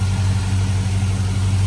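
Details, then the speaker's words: 2005 Chevrolet Silverado 5.3 V8 idling after replacing aftermarket valve cover gaskets with factory valve covers, AC Delco gaskets and new PCV tube: deep constant hum, no hiss, stumble or surge; vacuum leak past valve cover gone. "good to me. I don't hear any more vacuum leaks. Boy, it was real bad."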